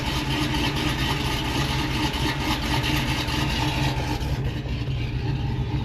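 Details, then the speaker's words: Chevrolet Tahoe V8 with performance cam, headers and high-volume oil pump, idling with deep, choppy loping exhaust beat and good oil pressure, no knocking; normal lopey idle from the cam. "Idles really smooth. I mean, you can feel it has a cam. It's choppy, but good oil pressure."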